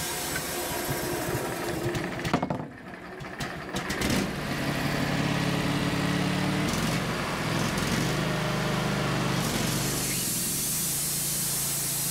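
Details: Wood-Mizer LT15 sawmill engine while sawing an American beech log; small engine under the sawing noise, speed drifting up and down unevenly with sputtery patches. Recurring surging and sputtering over recent uses, cause unknown.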